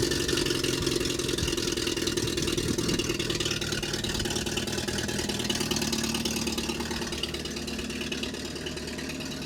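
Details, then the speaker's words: 1965 Renault R8 1100 running again after a replacement intake and exhaust manifold, air cleaner not yet fitted: a raspy puffing hiss over the exhaust note from a terrible exhaust leak at the downpipe, which was not fully tightened. "it runs it has a terrible exhaust leak i didn't tighten up everything on that downpipe so i need to do that"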